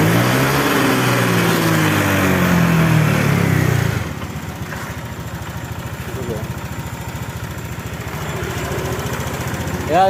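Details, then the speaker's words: Honda Vario 125 after ECU reset via DLC socket: after a brief loud stretch, settles into an even, steady idle with no stumbling; healthy. "kita lepas lagi di soket dlc-nya teman-teman ya setelah direset ya dijamin motor akan lebih stabil gasnya lebih enak teman-teman"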